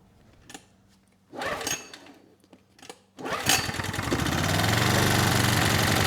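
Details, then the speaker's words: Honeywell HW2000i 2000 W inverter generator after regapping its Torch spark plug from about 0.016 in to 0.030 in: a couple of short pulls, catches on the second pull and settles into a steady even run. "even a good plug gapped improperly is going to cause issues and in this case it was just gapped incorrectly and now it started second pull"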